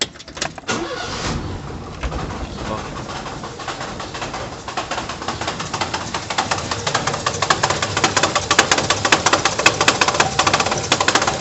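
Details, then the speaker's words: 1991 Fiat Uno 1.3 petrol, cold start: a loose, uneven, annoying rattle from the gearbox area that grows sharper; it stops once the engine warms up. The owner suspects looseness or vibration there. "e quando liga ele de manhã de manhã não na verdade quando eu liguei ele tá frio qualquer hora tá fazendo um barulho bem chato bem chato na parte do câmbio ali"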